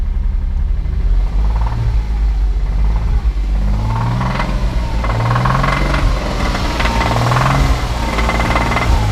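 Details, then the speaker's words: Porsche Boxster, 80,000 miles, bought sight unseen, possibly leaking coolant: stationary engine held around 1900–2000 rpm, revving up and down with a rough knocking edge; owner suspects rod knock, not confirmed. "Let me hold this thing right about 1900 RPMs. I don't know if you guys hear that, 2000 RPMs. I hear a rod knock."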